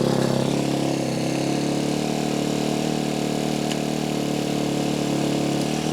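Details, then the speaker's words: 2013 Kawasaki KX250F after a dropped valve, new head and valves, timing checked: single-cylinder thumping slow and uneven, barely holding idle; idle set too low, valve noise gone but an occasional internal slapping remains, cause unknown. "There's still something wacky going on here a little bit. The noise from the valves is gone, but there's something every once in a while slapping around inside this engine, and it does not want to idle properly."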